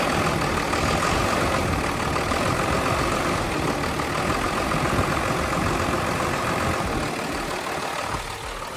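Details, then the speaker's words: 1979 Ford F700 petrol dump truck idling with a steady, slightly uneven, lazy loping low rumble; it is running rich. "That's what the old girl looks like, what she sounds like. Ford. She's running rich."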